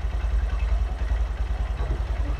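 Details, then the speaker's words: Honda Verza fuel-injected motorcycle that kept dying suddenly, after electrical check and ECU reset: low, even putter with no misses or surging; throttle response and RPM now stable at idle. "Respons akselerator akan stabil. Sekarang, RPM sudah stabil. Di sini juga stabil ."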